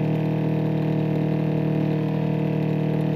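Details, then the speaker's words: Replacement Flojet 04325343 water pump on off-grid rainwater system, after priming and bleeding an air bubble; steady strong buzzing hum building pressure past 30 toward 40 psi, running normally. "okay that sounds like a good sound now now it sounds like it's really kicking"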